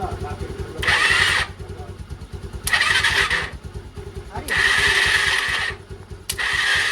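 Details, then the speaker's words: Old Bajaj Pulsar electric start: repeated short, smooth starter whirs with no compression pulses and no engine rotation; owner suspects the starter is not engaging properly with the magnet. "देखो जरा सुनो य आवाज ना बिल्कुल देखो एकदम smooth सी है ना तो मुझे लग रहा है कि स्टार्टर ढंग से एंगेज नहीं हो पा रहा अपनी मैगनेट के साथ"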